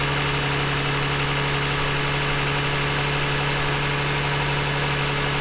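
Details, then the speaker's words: 2009 Toyota Highlander, 276,480 miles, with a cylinder 2 misfire code during coil swapping: even, steady idle hum with no stumbles or skips. Runs smooth and quiet. "Actually runs pretty smooth, quiet. Partly why I bought it."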